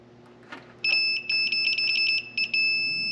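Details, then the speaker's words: Speed Queen commercial dryer not heating, five-year-old resettable high limit tested after pressing its reset button (it had read open, nothing): high, clear continuity tester beeps in quick bursts; high limit now closed. "and now it's good so this is resettable you just press this button here"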